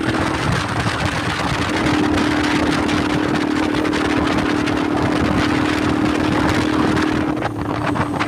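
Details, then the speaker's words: Motorcycle riding on the road with the muffler end piece come loose and tied on the back: loud, booming exhaust drone holding a steady hum, far too loud; to be tightened and fixed at home. "Nanti sampai rumah baru kita kencengi kita perbaikin biar dia enggak menimbulkan suara yang keras gini lagi teman-teman"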